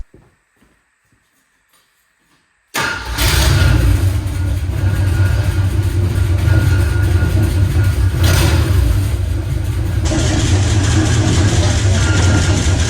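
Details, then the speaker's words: 1977 Jeep CJ7, barely run in four years, restarted while leaking fuel after earlier grinding: it settles into a lumpy run with a heavy, uneven clunk; clunking noise, owner suspects it comes from the back, maybe the flywheel. "yeah I'm not going to run that for long there's something definitely clunking around in there"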